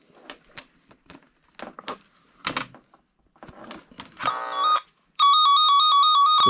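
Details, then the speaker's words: Cen-Tech cable tracker tone on a de-energized wire: after clicking and handling, a loud warbling two-pitch tracer tone is still heard despite a break in the wire. "this is what I was talking about. You can still hear it beeping even though there's a break."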